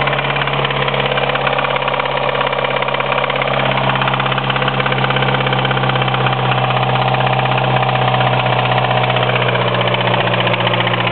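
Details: 1993 Mitsubishi Eclipse 4G63 at idle, deep internal knock about three per second, fairly regular; owner suspects a spun rod bearing, not confirmed.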